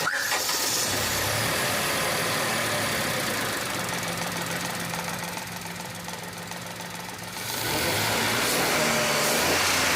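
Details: Mahindra KUV100 with a P0300 misfire from one faulty injector, after fitting a new three-injector rail assembly and clearing the code: the engine catches, dips briefly, then holds an even, regular idle with no misfire.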